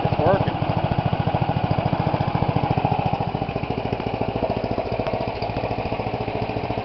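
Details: 10 hp Tecumseh single-cylinder engine with an alternator build, started on choke: quick, even firing pulses at a steady rhythm with no misses or knocks; normal running.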